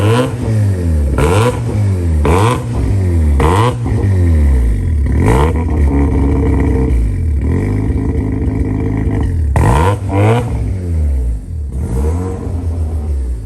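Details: JDM Haruguchi FC Mazda RX-7 rotary, revived with new battery, 98 petrol and fresh fluids: blips about once a second, each rev climbing cleanly and settling to idle; running strong.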